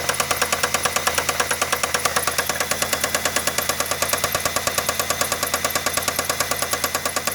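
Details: Idling engine with sharp, steady metallic knock about three per second, felt through the dog bones; deep bottom-end knock, owner suspects a bad rod bearing, unconfirmed.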